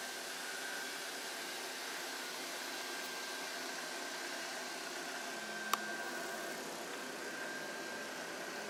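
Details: Sovol SV08 3D printer printing PLA with doors shut and top open, exhaust fan on at 100%: quiet, steady airy hiss with faint constant hum, no rattles or speed changes; exhaust fan running normally.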